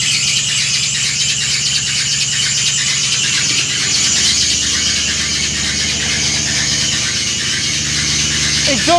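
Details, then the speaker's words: Porsche 986 Boxster V8-swap track car after fitting mufflers and heat wrap: quieter exhaust but piercing steady high squeal over the running V8 from start-up; accessory belt slipping, possibly sticking alternator pulley. "Exhaust is quieter, but that squeal is horrible."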